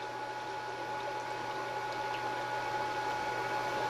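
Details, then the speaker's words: Water pump run after a plumbing check valve replacement, before opening the valve. Steady pump hum with hiss and faint gurgling as water refills pipes. Air trapped in the line after the pipe was removed is bubbling out. "I can hear the water bubbling up."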